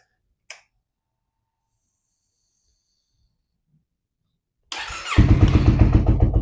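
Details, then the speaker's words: 2015 Yamaha YZF-R3 that sat for years (rusted fuel tank, failed fuel pump), after a new battery was installed: a brief crank catches in under half a second and settles into a steady, even idle. Healthy start. "All right, well, it started pretty quickly, so that's cool."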